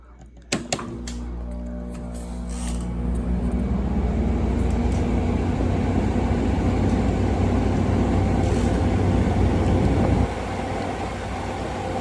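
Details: 2016 Frigidaire 5,000 BTU window AC: click and thump at switch-on, then steady low hum with fan rush holding even; starts and runs normally with no problems.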